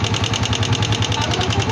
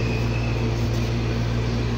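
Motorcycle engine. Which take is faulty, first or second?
first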